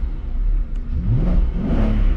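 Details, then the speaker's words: Audi C5 S6 barn find, 20 minutes after cleaning, with residual oil burning off: clean free revs rising and falling smoothly, no knocking, rattles or misfires; engine running healthy. "that sound [Music] all right well this thing's running pretty freaking good"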